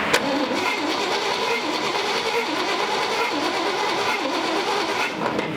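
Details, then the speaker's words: 1958 Chevrolet Apache pickup, small-block V8, barn find stored since 1994: starter churns steadily but engine never fires; no spark, though oil flowing shows good oil pressure. "no no spark but what I did see was oil coming out of [Music] this which is good that means oil pressure but no spark is kind of a bummer"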